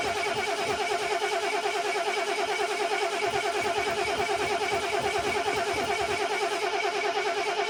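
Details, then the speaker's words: RV cold start after sitting two years: steady starter cranking at about two and a half turns a second, never catching; crank no start because no fuel is reaching the engine yet. "at least we'll know it will run okay gotta get gas to it"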